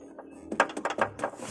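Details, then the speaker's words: 2013 Honda Brio, rear left: light hollow plastic clicks in quick irregular clusters over rough roads and speed bumps. A loose reversing-camera RCA wiring connector is rocking and tapping against the body panel. Shock mount rubber was first suspected. "Jadi ini tadi nempel di body tapi body yang platnya tadi kan di dalam. Jadi setiap ada getaran berlebih dia goyang luduk luduk luduk luduk maju mundur gituu"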